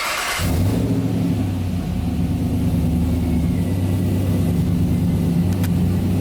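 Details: 1992 Toyota Land Cruiser FJ80 with swapped 6L L98 V8 and 6L80 transmission, first startup after conversion, tach and oil pressure gauge not yet working: fires within a second, deep steady idle rumble, no misses or knocks; normal idle.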